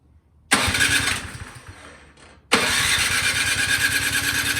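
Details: 24-inch Craftsman snowblower that sat all summer with gas in the tank, electric start, full choke, after priming with no gas heard entering the carburetor: two long even cranking bursts, never catches; fuel-starved carburetor, cleaning it fixed it.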